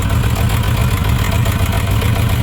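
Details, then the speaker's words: Suzuki RF900 multi-cylinder idling during a water-on-exhaust test, where one header stays wet: low, lumpy idle with a stumbling exhaust beat as one cylinder drops out. Dead cylinder. "so this one is firing but that one is not firing"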